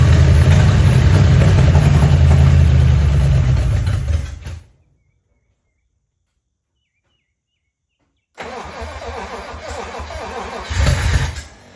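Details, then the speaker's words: 1956 DeSoto Firedome, barn-stored 24 years, first start attempt with a gas can feeding the fuel pump. Two bursts of even cranking never fire because no fuel is delivered, even though the pump was disassembled and cleaned. The engine turns over sounding good, with no lifter noise. "But it looks like we are not getting any fuel. at all. So, the fuel pump is not working even though I've taken it apart, cleaned it, and everything was functional"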